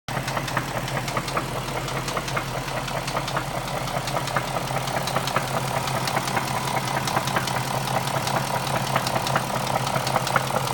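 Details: BMW X5 4.6is M62TU petrol V8 at idle: steady hum overlaid by sharp regular knocking in time with the engine.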